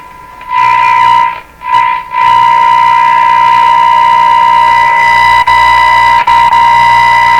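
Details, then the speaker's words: Northern Electric Baby Champ AM radio during IF alignment: garbled, distorted audio with a fixed whistle and random static crashes; IF tuned to 438 instead of 455, well off frequency and needing realignment. "fight this way well we have lots going on here and it's not good got static crashes for no reason we got garbled sound and this thing appears to be tuned to 438 instead of 455"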